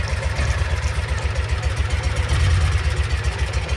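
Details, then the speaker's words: 2012 Kawasaki Mule 4010, EFI liquid-cooled V-twin, down on power with a lumpy idle and a deep thud about every quarter second. The rear cylinder has a dead miss after the water-spray test; the cause was a broken spark plug. "So, I know without a shadow of a doubt that the rear cylinder is not firing. It's trying. It's definitely got a dead miss."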